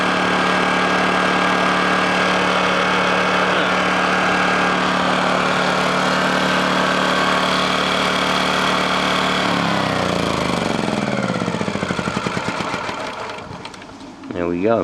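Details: Honda generator, cold start after sitting unused about three months: steady, even hum at constant speed for several seconds, then pitch sinks as it shuts off; normal idle.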